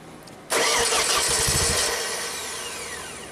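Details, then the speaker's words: Ford-powered dual-fuel (LP/gasoline) JLG boom lift, sitting two years after a tree fell on it and with rodent-chewed wires: cranks steadily with a faint sputter but won't start; ignition signal present, no injector pulse, no fuel pressure. "So the red is the ignition, and you can hear it, it tried to sputter or something. No injector pulse. Also, no fuel pressure."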